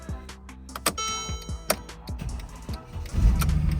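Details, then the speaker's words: 2012 Mercedes-Benz GLK 350 4Matic, after an EIS ignition switch repair, starts with a newly programmed key: several clicks, then the starter catches and the engine fires into a steady rumble; starts and runs normally. "there you go guys car started car is pretty good"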